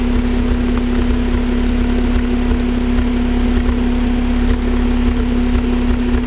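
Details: Honda Accord SiR-T (CF4) with HKS Hi Power cat-back exhaust and Mugen header, idle and a small rev: steady throaty idle, strong drone, slightly lumpy irregular pulse; owner suspects misfire, unconfirmed.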